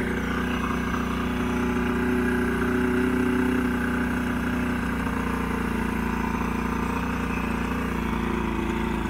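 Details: Old 90hp Johnson outboard on a 1987 Crestliner, sat about a year, fresh plugs: runs on with wavering uneven beat and unsteady tone; rough running, needs carb work and fuel line cleaning, engine getting pretty hot.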